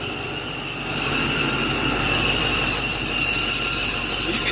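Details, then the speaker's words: 6.0 Powerstroke diesel at idle, before new turbo and uppipes: steady airy hiss with thin whistling over quiet idle, coming from one side only; other side quiet. "can hear it hissing. It's all from this side, but we don't have any leak, which is a good sign."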